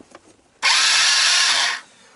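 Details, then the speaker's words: Yamoto ATV parts donor being revived, engine turning without banging, intake manifold found: brisk high-pitched whirring spin for about a second then clean stop; starter motor working normally. "so the good news right the engine seems to turn around it's not banging into anything i found the intake manifold right oh good news the starters are live"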